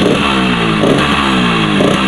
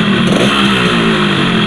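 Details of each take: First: Yamaha RX-King two-stroke single after the loose piston was pressed tight back into the block: revs up crisply, holds a quick even beat, then fades out cleanly at shutdown, sounding healthy; normal running. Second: Yamaha RX-King two-stroke with a rough engine, before the piston was pressed tight back into the block: revving with a harsh gravelly rattle over the buzz that tracks engine speed; loose piston noise.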